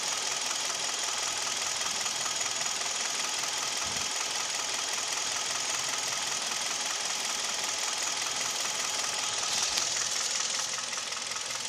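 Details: G4KD Hyundai/Kia Theta II engine: piston knock and vibration at idle, knock at 1500 rpm, noise pulling away under load (A/C compressor, mirror, window, seat heaters on); recorded from cabin. Steady idle with light, uneven ticking knock, two to three per second; piston knock.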